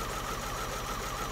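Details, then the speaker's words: Vauxhall Astra Mk4 with misfire and lumpy running under load, idling: fast even continuous ticking from each of the four fuel injectors, heard directly on each, all firing normally, so injectors ruled out. "pop number two tick tick tick pot number three tick tick tick tick pot number four tick tick tick right we can write that off i'm happy of that they're ticking away"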